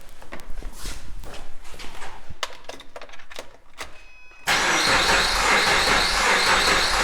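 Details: Subaru Forester EJ25 with a holed cylinder, cranking during a relative compression check (amp clamp, firing order 1-3-2-4): about three beats a second with an uneven, lopsided rhythm, pointing to one cylinder low on compression.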